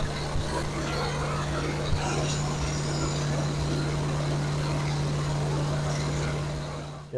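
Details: Camshaft break-in on a fresh engine build, about 2000 rpm, no temperature gauge: steady, even drone at fast idle with no ticking or knocking; runs clean.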